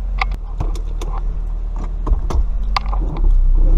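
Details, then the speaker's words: Car at idle after exhaust leak repair, flanges reassembled and torqued to 42 lb: even, low rumble with no ticking or puffing; exhaust now sealed and sounds better. "alright now let's see if that worked hmm sounds better"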